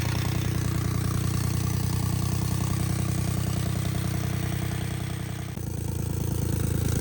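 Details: 1999 Lexus ES300 with check engine light: idle has an uneven stumbling beat about three pulses a second with dip and recovery; misfire hopefully due to cheap plugs and coils, also failed rear exhaust manifold gasket and leaking power steering pump.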